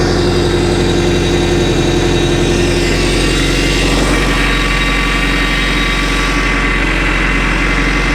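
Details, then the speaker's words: Boat inboard engine warming up during winterizing, steering worked back and forth: faint steady whine over idle; power steering pump whine, fluid found low and frothy, leak suspected. "I'm going to work the steering back and forth. I can hear the pump whining a little bit."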